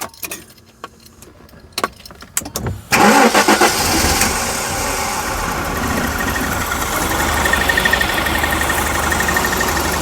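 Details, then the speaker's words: 1994 Jaguar XJ6 after a crank-no-start fix, now running on a GM Vortec ignition control module in place of the failed original ignitor, with the faulty coil also found bad: a few clicks, brief crank, catches at once into a smooth, steady idle. "So that's running with that GM ignition module."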